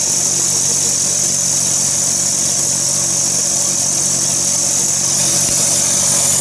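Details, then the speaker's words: Porsche Cayenne Turbo 955 idling with a strange ticking and air-leaking noise; loud steady hiss with faint quick ticking from a boost pipe chafed by rubbing on a pulley, worsening gradually. "I'm a strange ticking and air leaking noise so it looks like this has been rubbing on that pulley for a little while getting gradually worse"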